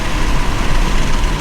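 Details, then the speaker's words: MK5 Toyota Supra with windows down at around 70 mph after fitting Armaspeed Windblock side mirrors: steady smooth low rush of wind and road with no throbbing; wind no longer enters the interior, normal wind noise, buffeting gone. "The wind just goes around the windows. It does not come into the interior now. It just feels nice."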